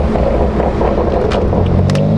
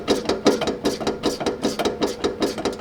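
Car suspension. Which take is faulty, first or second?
second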